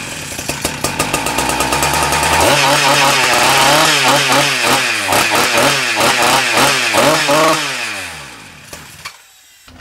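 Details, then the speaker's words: Husqvarna K970 concrete saw after engine rebuild for no compression, first start after priming: fires and runs loud, surging up and sagging repeatedly before dying; carburetor needs adjustment. "we have to do adjustment on there yeah lucky okay should be right we can let it run like this for five minutes if you like to make everything going good"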